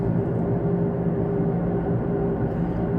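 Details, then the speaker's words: Taxi driving with a steady low roar and humming drone, suspected worn right front wheel bearing, getting louder since the previous day and grinding more when changing direction. "possibly hear that bearing on the right front wheel doing some roaring at the moment it made a bit of noise yesterday morning"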